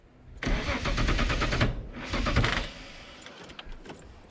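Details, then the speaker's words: VL Commodore after a fuel-pressure fix, fuel now priming: two short bursts of slow, labouring cranking that never catch. Battery indicator shows red; owner suspects a drained battery. "oh no battery oh no it's showing a bit red might have wasted the battery"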